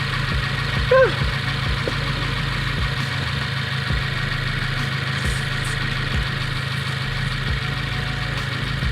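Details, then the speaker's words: 2015+ Subaru WRX, warm idle after an aftermarket J-pipe was installed: soft, uneven puffing tick about three per second over the engine hum, with a rattle and escaping air. A soap test shows bubbling at the flange, confirming an exhaust leak. "it just sounds a little rattle e it sounds like some air escaping which means I'm pretty sure I have an exhaust leak"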